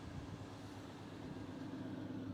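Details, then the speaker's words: 1972 International 1210 pickup warming up after a Pertronix ignition install: smooth, even low rumble with a steady hum and no knocks or misses; it is running so well. Normal idle. "But man, it's running so well. It sounds amazing."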